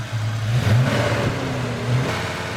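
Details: 1993 Ford Mustang Cobra 5.0L V8, intermittent check engine light, revved to about 2000 rpm near the engine while checking exhaust temperatures: slightly uneven, stumbling rumble; number three cylinder runs lean and hotter than the rest.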